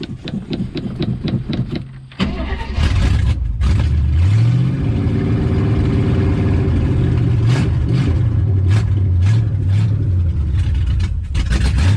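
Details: 1967 AMC Rambler Rebel SST, 290 cubic inch V8 with 2-barrel carburetor and automatic, off the road since 1981 in a farmyard, starting on a fresh battery: slow uneven cranking for two seconds, then it catches, revs swell and settle into a lumpy but steady idle.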